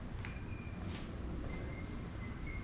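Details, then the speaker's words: 2006 Acura TL trunk release pressed about five times: faint clicks under a second apart with no release thunk; trunk will not open, indicating a bad trunk lock latch actuator. "press the trunk release button inside the vehicle and if you can hear it engaging or trying to disengage and then the trunk still will not open then that mean that you have a bad lock latch actuator"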